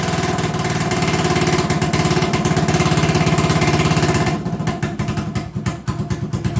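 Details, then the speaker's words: 1980 Honda XL250S single-cylinder with no start/bad idle: idles fast with a quick thump then drops and stumbles unevenly; owner suspects he over-adjusted the carburettor idle screw, making the idle too high. "i remembered i adjusted the carb to make it idle that day and with the idle the way it is i wonder if i've gone much too far and now it's idling too high"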